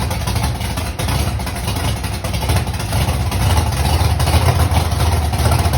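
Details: Mustang V8 first started months after a fire: loud lumpy idle with uneven, surging beat, sounding like it isn't hitting on all cylinders; cause unconfirmed.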